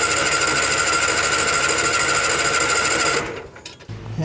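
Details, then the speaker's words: 1986 or 87 Argo Magnum with choke on, fed from its internal tank. Steady cranking at about three turns a second, stopping without a catch; no fuel reaches the filter, so the owner plans to pressurize the tank. "still doesn't look like there's anything coming up so I'm going to guess that we're going to have to put a little bit of air pressure into uh into this tank to force fuel up into this filter and then all the way up to the engine"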